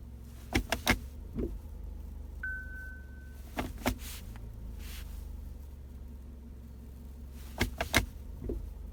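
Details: Jatco JF016E CVT at 18,000 km, shifting from D to R at idle, worst in cold below-freezing weather or after long standing: sharp double knocks and a thud as the selector moves; harsh engagement clunk, cause unknown.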